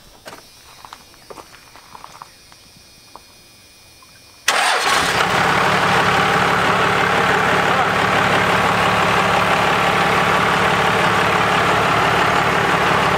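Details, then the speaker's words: 12V Cummins with the P-pump reinstalled after injector work: starter catches and it settles into a steady, even diesel clatter at idle with no misses or knocks. No oil leaks seen; running smoother, possibly as pushrods get oil. "yeah it sounds good it does sound like it's running a little smoother maybe it's because your push rods are actually getting oily"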